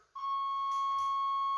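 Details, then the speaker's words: 1989 Chevrolet Suburban, 350 TBI with 700R4, first power-up after sitting 15 years: a steady, high-pitched warning buzzer sounds the instant the battery is connected and holds evenly, showing the dash buzzer and wiring are live despite rats. "So I'm going to hook this battery up and see what we got. Well, we got a buzzer. That's a start."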